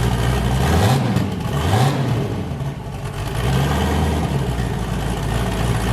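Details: Boosted engine with a new cam, fired up after a repair and not yet warmed up; it had earlier hit 23 psi, blown a coupler and sounded wrong. A deep, lumpy idle rises and falls in a steady lope on all cylinders, with no misfire or knock: a normal choppy cam idle.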